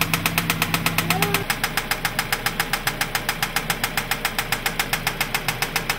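Sharp, regular knocks about two and a half per second ride over the idle, steady and metallic; an internal engine knock, cause not yet pinned down.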